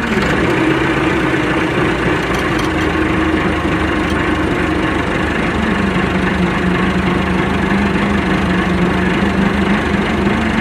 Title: MF 390T rumbling noise